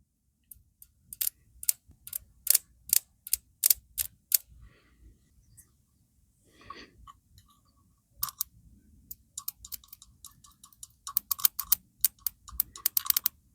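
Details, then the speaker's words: Motorcycle no-start spark test: coil hooked directly to power and grounded, lead arced to ground in place of the ignition system. Sharp, crisp snaps in quick bursts show a strong spark, so the cap is likely dead. "It's firing. So chances are this cap's dead."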